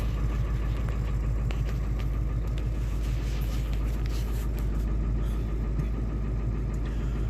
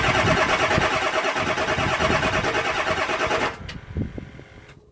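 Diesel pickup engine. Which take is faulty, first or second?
second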